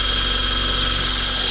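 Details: eFlite Blade 400 flybarless RC helicopter after rebuild, running on the ground: steady even high-pitched motor whine with smooth rotor hum, no wobble or rattle; healthy, blade tracking still to be double-checked.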